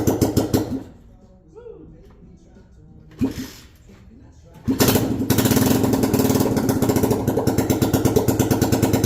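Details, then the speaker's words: 1972 Honda XL250 single after top-end rebuild, standard ignition timing, oil flowing through head, exhaust off, not a cold start; after false starts settles into crisp even unsilenced bark: normal running. "it is ready and it sounds amazing the engine sounds great the exhaust is not on but we're just going to fire it let you guys just hear it"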